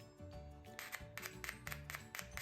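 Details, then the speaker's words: Definitive Technology BP7006 speaker driver removed and tested with a battery on its wires: sharp, clean clicks each time the battery touches, about eight in two seconds, with no scraping or buzz, so the coil is not broken or seized; healthy driver click. "and you hear sound like that, that sounds pretty normal. At least it puts something through the driver to make sure that the coil's not broken or seized up."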